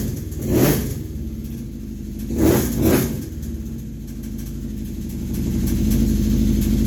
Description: UPDATE: I tore down the engine and discovered a blown crank bearing.